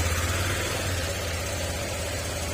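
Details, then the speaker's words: Honda Click 125 scooter started after the wiring fix for its no-power fault, with a wire re-inserted after it fell out: a steady low rumble with an even beat, no misses or surging, idling normally. "Okay, on natin. Okay, ayan, umandar siya."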